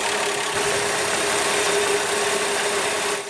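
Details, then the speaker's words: 1966 Valiant Slant 6 after its first valve adjustment, engine buttoned up: smooth even idle, steady hum, no top-end ticking; much quieter, with better throttle response than before. "so much quieter once the engine was buttoned up again i fired it up and i was pleasantly surprised with the great throttle response it's even better than before"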